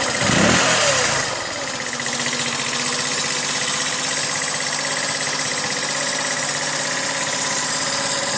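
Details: 2009 GY6 150cc four-stroke scooter, 900 miles, fixed after a no-start traced to a trashed piston and seized rings: brief rev, then a steady, even single-cylinder idle, no knocking or stumbling; healthy.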